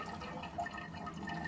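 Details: Toilet with worn internals, tank full and not flushed for a while: soft continuous trickle and hiss long after flush; water keeps running, suspected leaking past a bad flapper, to be replaced.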